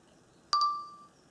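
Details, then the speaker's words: DJI Phantom 4 drone after firmware update 02.00.0106/02.00.0700, motors off: one clear chime fading over half a second as the camera unexpectedly powers itself off mid-recording; a firmware bug causing camera reboot. "that? powered itself off. Recording stopped."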